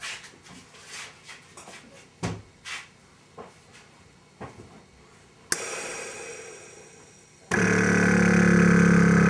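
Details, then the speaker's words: 2003 Mercury Grand Marquis with a newly replaced air suspension compressor, key on, engine off, triggered by weight on the rear bumper: a few soft clicks, then a steady low hum with no rattle or grind. Normal compressor operation. "there it goes okay there it went it took probably two of us to stand on it to make it work sound like it worked and it shut off"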